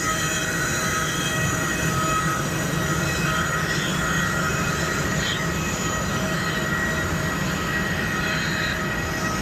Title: What causes this loud sound on the aircraft?Anyone knows why the aircraft is making this loud noise?